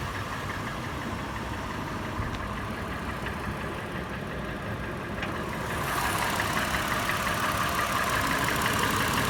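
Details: Toyota FJ warm start at idle: clattering changing to a regular, slower, louder sharp metallic tapping about three per second, faster in park and neutral, slower under load in drive; cause unclear.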